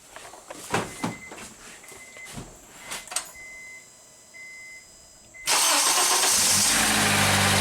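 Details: 2008 Honda Accord with intermittent no-crank, after cleaning acid-damaged battery terminal on 3-year-old battery: warning chimes, brief starter spin, engine catches at once and settles into smooth, steady idle; starts normally.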